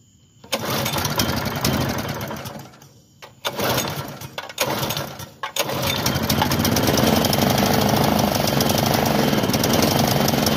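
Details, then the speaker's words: Bluebird belt-driven aerator, small pull-start engine, bought non-running, fresh gas in tank: several pull-start bursts that fire and die, then rough, uneven running; clogged carburetor starving fuel, carb later cleared with wire brush. "Looking like we're gonna have to go through that carb."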